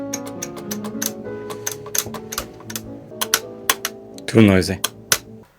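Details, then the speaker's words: Vintage Selmer Mark VI saxophone, octave key before and after a repair overhaul. Sharp mechanical clicks sound between sustained notes as the octave key clacks against its stop; it is key clicking noise. "time trying to get as many as possible of these clicking sounds out of the way. And he did a fantastic job like Listen to this octave key before and after."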